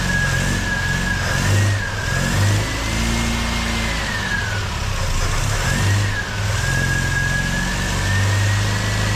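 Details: MGB engine, freshly overhauled with supercharger just fitted, first 40-second run without coolant: revs swing unevenly while a high whine rises and falls with them; rough running, owner unsure what needs adjusting.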